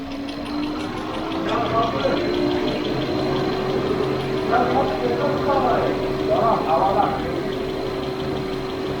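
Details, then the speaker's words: VW Golf 6 1.4 TSI (CAXA), first cold start right after timing chain replacement, having sat about 8 hours on the lift: steady, even idle with no chain rattle, only a faint fuel pump whir. Healthy cold idle. "zincir sesi hiç yok gelen ses Şuradaki benzin pompasından araç soğuk olduğu için"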